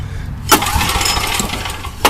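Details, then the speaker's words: Old Coleman generator with a Vanguard engine running ethanol gas, restarted after tapping the carburetor: runs unevenly with sharp speed rises about every second and a half, surging because the carburetor float sticks and floods. "now fuel is on there's nothing running out well you can tell her we can flooding going on there"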